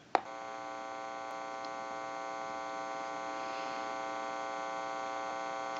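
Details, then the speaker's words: Open test amplifier used while checking a repaired PTT rotary desk telephone made in Holland. A faint, steady, unchanging buzzing hum that comes from the amplifier, not the phone: normal amplifier hum. "now since it's an open amplifier it is prone to any noise or static interference in the atmosphere and an open amplifier will always have a slight hum to it"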